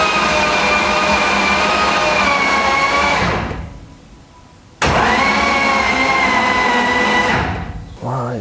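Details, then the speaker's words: BMW M52B28 built into 3.0L stroker with M54B30 crank, cranking for oil pressure before first start: starter whines while engine turns stiffly with rough rubbing drag; suspected rod bearings first, later suspected in clutch/input shaft area. "So while we were cranking it, you heard we had a issue. Somehow picked up some friction somewhere and uh I thought it was in the crank case."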